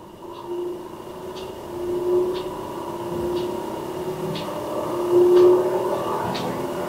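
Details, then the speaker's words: Creality Ender 3 V3 KE with an add-on USB-C ADXL vibration sensor, running the Y-axis resonance test as the bed shakes front to back: a steady buzzing hum with faint clicks about once a second; normal. "Là, il fait détection des vibrations de l'axe Y. Donc, le plateau, il bouge devant, derrière."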